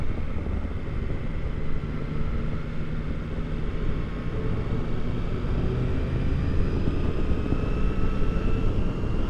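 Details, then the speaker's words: 2022 Triumph Tiger Sport 660 after the dealer loosened the overtight chain; smooth even cruise past 40 mph with steady engine drone and wind, no whine, slap or rattle. Final drive is fine. "They have loosened the chain and it seems much better now. Alright, I made it past 40 without having that awful noise."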